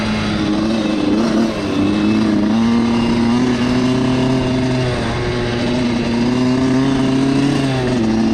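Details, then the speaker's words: Dirt bike after attempting wheelies: the engine note wanders up and down unevenly at fairly steady throttle, hunting rather than holding revs; running rough, cause unclear, with carburetor problems or overheating suspected. "i don't know that doesn't sound good all right i do not know what's going on but that hasn't happened to me before"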